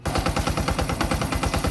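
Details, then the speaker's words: Loud rapid metallic clatter, about ten knocks a second, from a Honda XRM 125 fuel-injected motorcycle engine at idle, suspected worn clutch damper rubbers, before disassembly and repair. "So kung naalala niyo pa ganito Kaingay yung makina niya mga Ms dito sa loob sobrang ingay"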